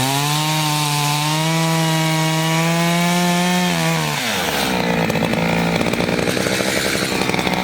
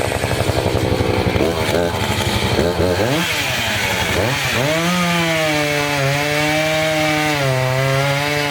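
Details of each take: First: Chainsaw of roughly 50–60cc (owner unsure, maybe 58), 3/8 pitch chain on a 24-inch bar, on its second tank and barely broken in, cutting old wood: a steady full-throttle scream drops and roughens in the wood but keeps pulling strongly, normal operation under load. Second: Two-stroke chainsaw cutting a dirty, sandy log: it bogs and drops pitch under load, then climbs and wavers as it cuts. The chain is getting dull from the sand.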